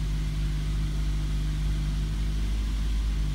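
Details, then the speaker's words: 2010 Mazda 3 after replacing a split passenger-side motor mount: steady, even idle hum with no knocks or buzzing; the earlier heavy steering-wheel and dash vibration is gone, with only slight normal vibration left. "we're going to turn it on to see if all that vibration is gone I don't hear it anymore I don't feel it anymore"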